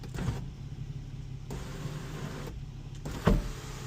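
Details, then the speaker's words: 2007 Infiniti G35 sunroof, not working before, after repair and reconnection; smooth, even electric motor hum in steady open and close runs, stopping cleanly with a soft clunk, now working normally. "And we got a working sunroof, my boy. Perfect start. Sunroof wasn't working before."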